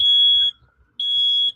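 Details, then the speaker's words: Two long, piercing high beeps of about half a second each with a short pause between them: a carbon monoxide alarm going off repeatedly in a house. "From a carbon monoxide alarm that kept going off."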